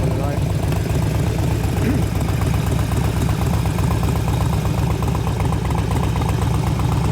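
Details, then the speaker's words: 2004 Harley-Davidson FLHT Twin Cam touring after suspension rebuild: steady, even V-twin idle with a regular loping beat of about four a second, cam audible but not loud, no ticking or clatter; normal idle. "cam sounds good not noisy but sounds nice one's Good's good L enough you can hear but so it's not loud"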